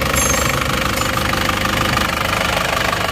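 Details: Isuzu Panther diesel after engine overhaul (one liner replaced, piston rings, gaskets), engine warm, idling on test: steady, even clatter about three beats a second with no misses or knocking; exhaust and oil-cap smoke now clean, engine runs healthy.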